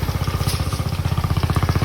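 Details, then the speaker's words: Motorcycle at idle before repair, sharp loud knocking about fifteen beats a second, far louder than normal, sounding like a major part needs replacing; worried customer, checked part by part and later diagnosed as a basic fault. "Ayan, tingnan nyo naman kung gaano kaingay yan. Grabe."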